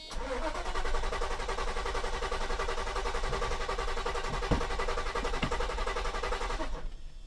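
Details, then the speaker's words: 1990 Mercedes 560SEC (W126) with stalling issue, after fuel pumps and fuel filter replaced: starter churns about seven seconds at slow even beat, fuel pumps audible, engine not firing yet as fuel fills new filter. "Let the gas get up to the engine. Yeah, you can hear the gas pumps there a little bit there. Come on, gasoline. We got to fill up the fuel filter. Get the gas all the way to the front of the car."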